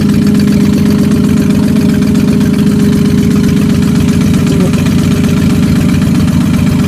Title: Mustang Rod Knock or Exhaust leak